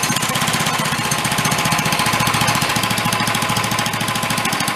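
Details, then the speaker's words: Free 13 hp Honda-clone small single-cylinder engine for a go-kart, after valve adjustment, running at steady speed: hard, fast, even knocking on every firing stroke that grows louder as it runs; cause not yet found. "put our fuel bottle in there it is yeah it's getting louder too bad it would sound awesome it wasn't"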